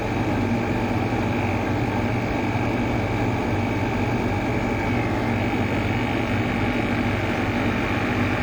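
Steady, even whirring hum with no grinding, rubbing or rattle, just a smooth continuous run; the fan motor sounds healthy.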